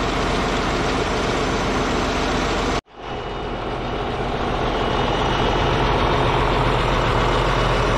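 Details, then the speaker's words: Caterpillar D8H bulldozer diesel restarted after sitting 15+ years: settles into a steady, even low chug with no knocks or misses; running good. "guys hear that thing that makes me a happy guy it's running good"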